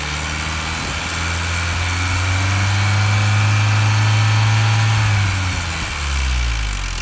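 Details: R53 Mini Cooper S at idle: steady low idle with a loose, irregular light rattle on top, roughly ninety a minute; the source of the tapping is not pinned down.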